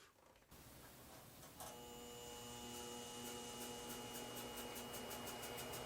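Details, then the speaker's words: Harbor Freight 12x36 lathe upgraded with treadmill motor: motor whine drops under the cut and loses pull against steady chatter; motor bogging because the drive belt was too loose and slipping, fixed by tightening. "So right here, a little bit of worry or panic sets in because you can maybe hear that the motor is winding down, and you notice that it's not getting enough torque, as much torque as I was hoping. Uh, Ultimately, though, it was a super easy fix. The belt was basically just slipping; it was a little too loose, and just"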